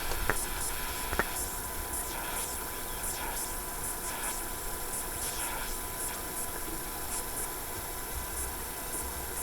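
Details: Mykit System 7 project kit AM radio with OTL amplifier running on 3 volts: only a steady even hiss from the speaker, no station audible; weak AM reception, volume control suspected dirty or open, cause not confirmed.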